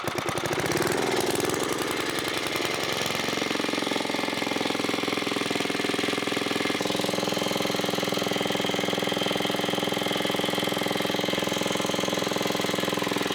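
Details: 1980s Onan 1.7 kW generator after carburetor cleaning: the engine catches, climbs quickly and settles into a steady, even drone with no misses or knocks. Normal running after one unexplained stall.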